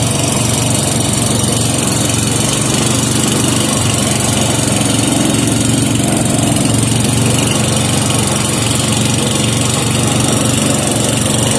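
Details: 5hp Briggs and Stratton engine with gear reduction, freshly serviced, running after a no-choke start to warm up the oil: steady even single-cylinder beat at constant speed, no surging, misses or knocks; normal running.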